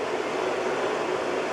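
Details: Carver Fanmaster 12 V caravan hot-air heater fan (1996 Swift caravan) after repair of fan and control PCB: smooth even whirring, steady airy hiss, no ticking or rubbing; fan runs normally but motor gets quite hot and may still fail.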